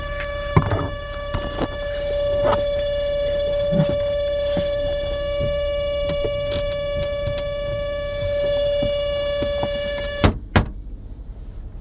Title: Toyota Sienna whining noise